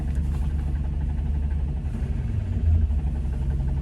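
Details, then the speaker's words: 1994 Land Rover Discovery SE7 seven-seater, heard at startup: deep steady idle drone with a low whirring rotational rumble that went away after first start; owner suspects the transmission, with the SRS and check engine lights on. "we heard that too when we first startup it then it went away"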